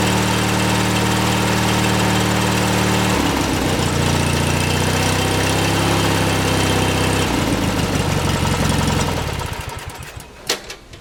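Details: 18 hp Briggs & Stratton lawn tractor engine after replacing the sheared flywheel key (it had caused weak spark, misfire and no start following crankcase gasket work): runs even and steady, changes speed cleanly, no misfire; fixed.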